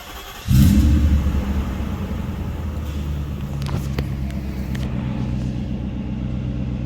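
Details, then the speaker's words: Mercedes M119 V8, rebuilt and with about 3,000 miles since, started after its first oil change with 8.5 quarts of 5W-40, catches on the first crank into a deep, even rumble with no knocks or misfires; good oil pressure, and the air injection pump makes some noise. "Got good oil pressure. Air injection pump's making a bit of noise."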